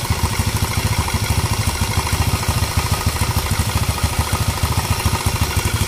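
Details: Small single-cylinder motorcycle engine started outside the frame after ignition work: a steady, quick firing beat of about two hundred pulses a minute with no misses or knocking; normal idle.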